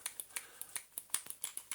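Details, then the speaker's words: Dyson DC35 cordless vacuum with a good, known-working battery: trigger micro switch clicks sharply about six times a second but the motor never starts; the switch is broken and needs replacing. "the same you can even hear it clicking the little you know micro switch that's under there"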